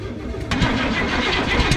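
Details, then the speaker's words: Abandoned 1969 Cadillac (described as an old Chevy motor, possibly 29,000 miles) cranking steadily on a replacement battery but never firing; no spark, so power to the coil is being checked with a test light; crank, no start. "nothing right nothing no I got no spark still no spark so we're going to see see if there's power going to the coil with a test light"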